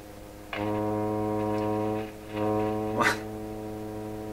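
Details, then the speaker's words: Rogers 11RA651 shortwave tube radio after tube replacements: a steady low droning hum with stacked tones, dips briefly, then returns. Loud hum; the replacement 6K7 tube is suspected, and switching to phono kills the hum. "She's just humming like crazy."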